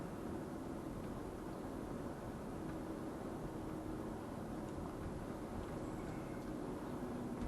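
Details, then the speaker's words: 2004 Mercury Sable wagon after replacing squeaking front brake pads, driving at about 45 mph with air off: steady road rumble, no squeal or scrape from front wheels; brakes now quiet. "normally i'd hear it make a squeaky noise let's turn the air off i don't hear anything it seems to be quiet"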